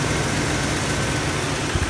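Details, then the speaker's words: 2000 Jeep 4.0 after camshaft sensor and synchronizer replacement: a steady, even idle with a low hum and no misses, knocks or stumbles; normal idle. "alright youtubers I finally got it together thank God man it was just a bad day anyway she's sounding good now"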